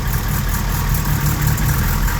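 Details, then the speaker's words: Honda G23 engine in a Civic, cold start after sitting a couple weeks: light knocking at idle, owner says piston slap around cylinder one or two, disappears when warm. "okay I started the engine you hear the noise yeah a little bit is not too much"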